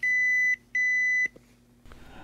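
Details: Epson printer, error 0xEA carriage jam: two long high-pitched beeps, a clunk, then quiet. At startup the carriage creeps right to find zero, then slams left; the cause is a damaged printhead carriage frame, not packing material or paper.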